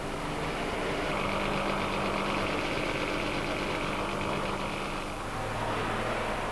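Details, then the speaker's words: Trabant two-stroke running on a petrol and oil mixture, East Germany 1990: buzzy, ragged idle with uneven beats near four a second over street noise, the typical two-stroke irregular firing. "Unlike the cars in the Federal Republic, this vehicle sounds, and it also swallows a mixture of petrol and oil."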